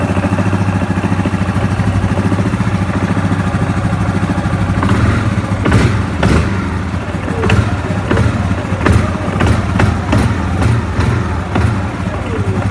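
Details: Yamaha Grizzly 700 ATV idles, then sharp irregular thuds about once or twice a second when blipped; knocking from the CVT (variator) side.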